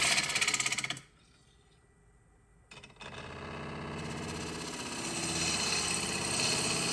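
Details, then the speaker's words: Woodturning lathe on a spalted wide-rim bowl, equipment malfunction causing knocking: rapid, rough buzzy chatter as the cut resumes; after switching to the smaller chuck chatter lessened but persisted; source not found. "Now, admittedly, on the first couple of passes, it did sound better. You could still hear the chatter, but it wasn't nearly as pronounced."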